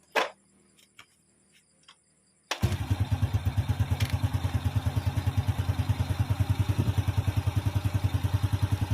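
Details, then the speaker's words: Supra motorcycle engine started after cylinder block reassembly, checking oil reaching the head: fires straight up after a quiet spell and settles into an even, steady idle thump; healthy start. "OK, it'll start straight away."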